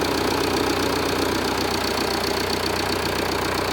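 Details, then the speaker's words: Jeep Renegade 2.0 MultiJet diesel, after repair of front engine noise: steady even idle with smooth diesel clatter; the previous deep droning noise is gone and it runs normally. "o que acontece antes fazia um barulho muito de ronco um barulho grave né e agora tá normal tá o barulho normal do funcionamento do motor tá tudo ok"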